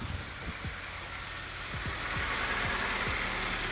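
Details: 2005 Honda CR-V 2.0 petrol after alternator replacement: quiet, steady idle with no knocks or squeals, alternator confirmed charging; normal idle.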